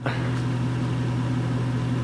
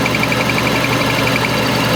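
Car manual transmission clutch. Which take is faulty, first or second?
second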